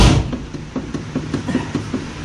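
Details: LS turbo square-body truck after a drag race in which the transbrake was hit at about 100 feet, heard at idle: regular dull knocks about five a second over a rough idle, worse than before leaving home; the source is not yet pinned down.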